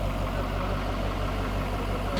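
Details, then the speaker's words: Camaro project car with a fresh LBZ Duramax diesel build (1000hp goal) on first-ever startup, idling: steady, even low rumble with smooth, regular firing and no knocks or misses; ground shaking at idle, sounds great. "It sounds great. It's shaking the earth and idle. Dude, for real. It's standing here shaking, just like, oh man. It sounds great."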